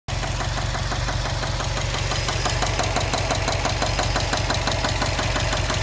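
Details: 2015 Subaru STI at idle after a 2–3 mile drive home: a sharp, regular tapping about three times a second over the engine. Sudden onset with no warning lights; an engine knock with unknown cause.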